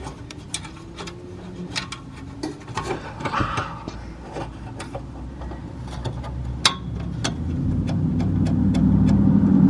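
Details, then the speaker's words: 2018 Audi S4 (B9) after replacing worn exhaust flap valve springs: engine blipped and revving smoothly, exhaust note clean with no tinny valve rattle; fix successful. "So you guys can see in here right now it doesn't rattle."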